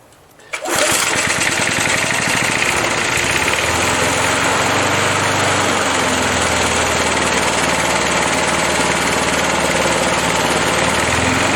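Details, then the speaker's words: 37-year-old Montgomery Ward mower, Briggs & Stratton 3.0 hp 92502 Vacu-Jet carb, hot start at half throttle after choke diaphragm replacement for hard hot starting: catches within a second, steady even run with no stumbling; fixed. "well i think it's safe to say it's fixed and we'll call that job done"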